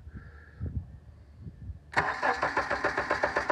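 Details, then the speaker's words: Crank-no-start created on purpose by disabling the fuel pump, with a Power Probe 4 and a scope on the crank sensor (about 45-53 Hz): the starter spins the engine in an even chug but it never fires. "We're going to be scoping the injector during a crank no start. I have incapacitated the fuel pump and I will create the no start"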